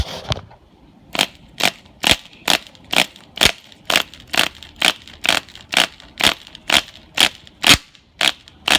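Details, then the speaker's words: Sportwerks .05 cu in nitro engine from a 1/16 Chaos, no flywheel, fuel sprayed in the carburetor: cranked in even bursts about twice a second with a light dry rasp, never a pop; no compression, won't fire or draw fuel. "Piston moves up and down with no real resistance. So what I've done is I've sprayed a bit of fuel in the carburetor."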